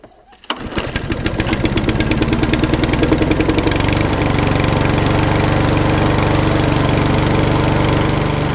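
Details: Trash-picked mower engine, sat about 40 weeks, started on choke after servicing; a pull, then it catches and settles into a steady putter about four beats a second; earlier it had no spark; runs, condition unconfirmed.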